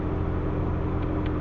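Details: Proton Waja MMC automatic at idle after cam sensor repair and idle timing reset: steady, even low hum holding about 830 rpm with no hunting or misses while the aircon and lights load it.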